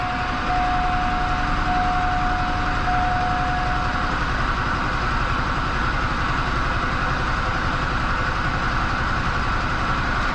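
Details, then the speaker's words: Duramax diesel after fuel system work, Airdog pump priming fuel to filter: starts and holds steady, even diesel clatter at idle without stumbling or hunting; normal idle, not stalling. "she'll probably just stay running i doubt she'll stall out there she goes okay that's fine we just gotta get that fuel up in there"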